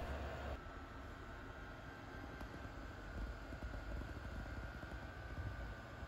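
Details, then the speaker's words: Refurbished and rebuilt Pentium II PC, first power-up after reassembly with an untested IDE cable, running Windows 98 SE: quiet, steady fan whir with faint constant tone and low hum, no rattles or grinding; system up and running, normal. "so we can actually fire it up and see what happens hopefully this ID cable works I haven't tested it but we'll find out soon enough the system is up and running"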